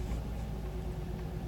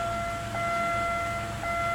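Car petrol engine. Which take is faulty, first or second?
first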